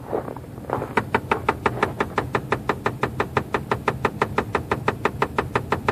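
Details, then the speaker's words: 2004 Chevy Trailblazer just after start-up: sharp, very even knocks about three per second over quiet idle, speeding up; runs a while, stops, returns, gone after about 5 minutes; cause unknown. "generally it goes for a little while when you first start it then it shuts off for a little while and then starts back up again sometimes it'll take about 5 minutes to go away"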